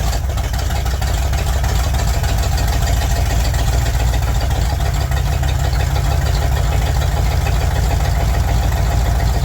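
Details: 1961 Chevy Impala four-door, sat 20 years, running on a boat fuel tank: deep, steady low rumble with an even beat, no misses or knocks; normal idle, though it still needs a generator or alternator.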